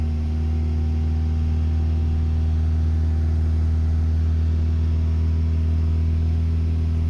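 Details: 1987 Honda Accord with 130k miles, cold start and running to operating temperature: steady, fast droning hum with no drop-off. The fast idle will not kick off, so it stays around 2500-3000 rpm even when warm.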